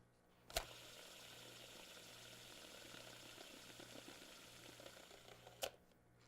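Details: Roller derby skate wheel with an old scuffed non-Kwik Zenith bearing, hand-spun: steady gritty hiss with faint rattling, framed by sharp handling clicks; worn bearing, compared with near-silent Kwik Zenith bearings.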